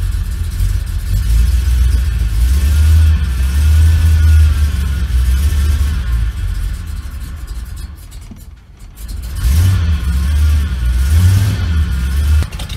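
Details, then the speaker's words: 1975 Ford Ranchero V8 after starter motor and starter relay replacement, starting easily: idles evenly, revs up and settles with no misses, knocks or stumbles; idle should be a bit higher. Normal running. "running nicely the truck's still on [Music] it should be a little bit higher everything's running nicely"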